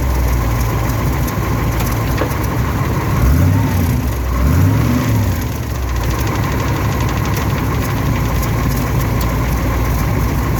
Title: Th400 grinding noise